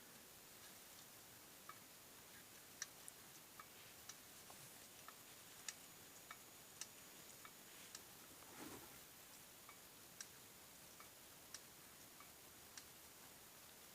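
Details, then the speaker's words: Lada Granta right front strut, removed and worked by hand in a quiet room: faint, sharp clicks about every second, pointing to internal strut play. Bleeding the strut did not help. "Щелчок, правая стойка снята."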